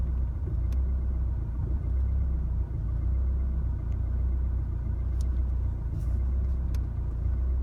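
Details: 2016 Chevrolet Colorado 2.8L diesel stopped in the driveway after a highway drive: the idle surges and sags about once a second with faint clicks. It settles after shifting to park and back to drive. Rough idle, cause unclear.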